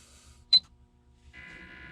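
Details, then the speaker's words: Aims RV inverter reinstalled after circuit board repair, with locking plugs: short beep at switch-on, then steady soft whir and faint high hum of cooling fan, running normally while powering TVs. "you should be able to hear the fan running. I think I got the camera close enough. But right now we're supplying power out to the TVs."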